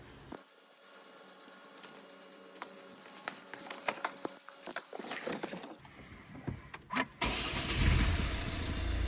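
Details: 2015 Volvo V40 D2 1.6 diesel (D4162T) first start after timing belt and water pump replacement: handling noises, then cranks, catches and settles into a steady, even clatter with no knocks or rattles.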